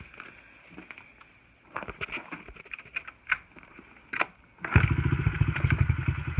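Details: Honda XR50 pit bike, gas turned on: quiet handling noises, then the small single fires up about five seconds in to a rapid, crisp popping idle that sounds healthy; normal running.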